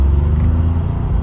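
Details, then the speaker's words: Neglected Citroen SM starting after long neglect without starting aid or carburetor priming: deep, steady low rumble at even idle right after cranking; engine running. "runs i can't believe it just started up i was all prepared to have to make with a quick start or put some fuel down the carburetor or something but no it actually started"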